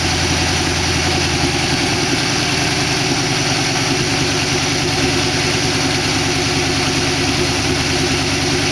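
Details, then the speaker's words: 1962 Oldsmobile 392 V8 in a 1914 Dodge Brothers rat rod, after the lifter tick calmed. Even, steady idle with no ticking or misses; it sounds good. Run only briefly because there is no coolant in it. "i don't really want to run it much more than this don't have any water in it sounds good though"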